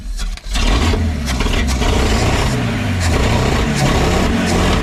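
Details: 1952 Packard 327 straight-eight, exhaust down tube removed (loud open exhaust) and vacuum leak plugged: steady low rumble, even with no misses or popping; runs smoother, oil pressure about 20 idle, 25 revved.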